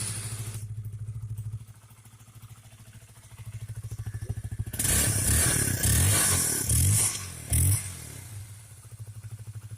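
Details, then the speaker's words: Honda CBR single-cylinder that cuts out while riding and won't accelerate: stumbles and chuffs unevenly at idle, nearly dies; misfire traced to a very dirty, wet, leaking spark plug cap that needs replacing. "mesinnya menyala. Sekali lagi. Nah, ini tidak normal, kan? Ini tidak normal. Masalahnya ada di area tutup busi, Bro."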